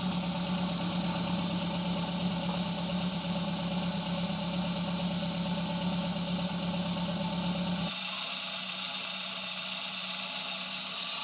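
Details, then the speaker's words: Daihatsu Gran Max engine reinstalled after fixing excessive valve clearance: smooth even idle, steady hum, no ticking or clatter; rough sound gone. Normal idle. "sudah berbeda dari suaranya yang tadinya atau kasar Tapi sekarang sudah kembali standar"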